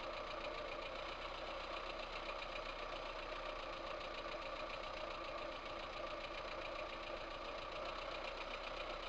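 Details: VAZ 2108 1300 cc petrol engine idling with a steady light knock, about three to four a second; head removal found valves with large play in worn, broken valve guides.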